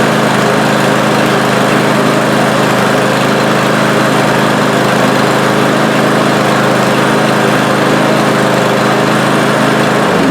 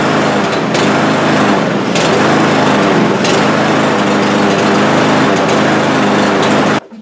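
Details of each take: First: Cub Cadet lawn mower after cleaning the carburetor, spraying out the blocked passages and the main-jet emulsion tube: steady, even engine run with a smooth, unchanging note and no misses or surging, sounding healthy until shut off. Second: Cub Cadet lawn mower with over a hundred acres of use, electrical ruled out: the high-pitched engine rises and sags unevenly before cutting out; owner suspects fuel starvation, lean rough running from a clogged carburetor; it smooths out after about ten minutes.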